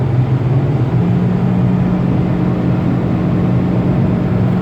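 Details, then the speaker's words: 2019 Proton Persona sedan, in-cabin, cruising about 140 km/h then flooring it, revs near 5,500 rpm: loud steady low droning hum; suspected sedan body/large boot amplifying sound, unconfirmed. "It's clear and it's not too bad, but there's still that humming sound. There's still that humming sound coming from the car."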